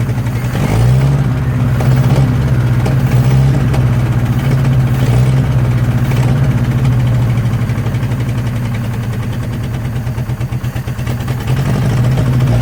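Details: 1963 Nissan Junior ute after 15 years sitting; idle hunts and surges, dipping near stalling, uneven beat, from a giant air leak where the intake manifold gasket is not seated against the head.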